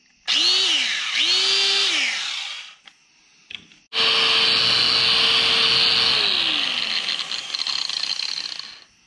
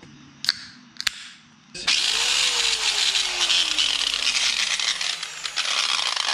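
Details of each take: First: Makita angle grinder, after repair of its stripped gears and regreasing: over several bursts a clean high whine spins up and winds down evenly with no grinding or rattle; very smooth. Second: Makita angle grinder, about eight years of heavy use, before repair: a harsh, rough, uneven high-pitched grinding roar from the head once it spins up. There is a lot of slap, and the ring and pinion gears are worn and stripped.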